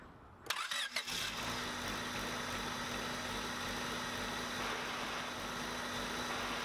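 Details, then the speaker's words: 1997/98 Honda Civic D16 after auto-to-manual swap: starter whirs, engine fires and idles with a thin steady whine under the hiss; owner says input shaft bearing seems out, check engine lights on, plans to pull transmission, replace bearing and seal. "the input shaft bearing seems to be out uh the car starts everything's good"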